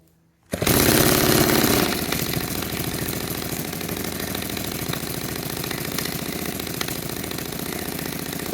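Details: Restored 1946 Power Machinery chainsaw made in Vancouver, BC, fired after restoration; catches with a sharp burst then settles into a fast, even, raspy two-stroke rattle that holds steady: running properly.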